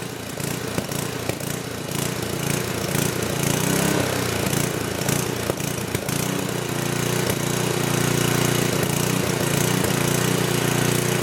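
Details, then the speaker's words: Old 10hp gasoline generator converted to propane/LPG using only the regulator of a cheap eBay aftermarket carb kit; after the governor spring tension was backed off, speed still rises and sags in uneven surges (hunting/gallop); owner says it needs tweaking and doubts the regulator is too small. "well experiment confirm that we can do this it's going to take some sort of little tweaking to get this tonight gallop like that"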